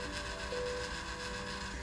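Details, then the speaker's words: Breckwell analog pellet stove controller after rotary switch replacement, set to C position with its long auger on-time: a quiet, steady auger motor hum with a faint even tone and no grinding or clicking; it works correctly. "so there it is much longer on time we can hear the auger motor"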